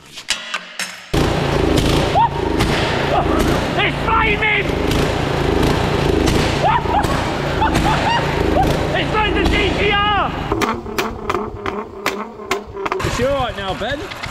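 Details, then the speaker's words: Newly received vehicle, said to need an exhaust and a service, revved hard with sharp irregular exhaust cracks and pops on the overrun; suspected over-fuelling, unconfirmed. It later dies. "oh oh think she's over fueling oh good that's what we like that over fuel say map one"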